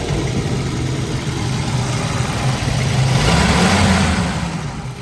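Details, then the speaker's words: 1984 Volvo 242 B23 LH2.1 automatic, freshly started after cleaning grounds and adjusting the throttle cable: low, slightly uneven idle that wavers and stumbles; old fuel or a vacuum leak suspected. "perfect still stumbling a little bit but of course when's the last time you put a fresh tank of fuel in it"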